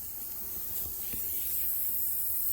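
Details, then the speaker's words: 2009 Citroën C4 Picasso with air suspension, after the compressor cuts off: a soft, steady hiss of escaping air as the car sags. Leaking air suspension spring (bag). "là il a fait ce site on le voit dès que le compresseur s'est coupé qui s'affaisse donc ça c'est un vrai problème de fond"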